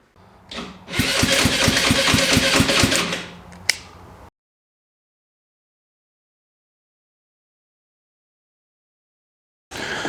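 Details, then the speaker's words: GY6-type engine on a used golf cart cranking on starter with a new carburetor: even chug about four per second but never catches; no gas gets through the carburetor. "I could not get any gas through the carburetor at all I could squ some starter fluid into it and the thing would spin over and run for just a few seconds while it was burning up that starter fluid"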